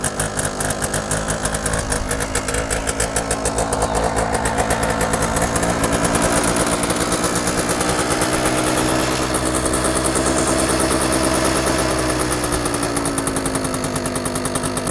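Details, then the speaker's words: 1966 Suzuki K15 80cc two-stroke, about 50 years old, started on a little choke and warming up. The idle is harsh, crackling and very loud and raspy, climbing then settling. The cause of the loudness is unknown. "I just don't understand why his bike is so loud right like it's an 80 cc 50 year old two-stroke the engine is like the biggest as big as my fist and it makes a racket like no other bike I've ever had"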